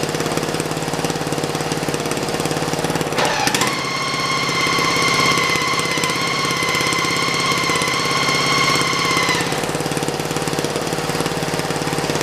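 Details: Racing lawn mower test fire in first gear: a loud whining gear howl over the engine clatter; the transmission is noisy because it is heavily overdriven compared with its underdriven factory setup, but it is not bound up.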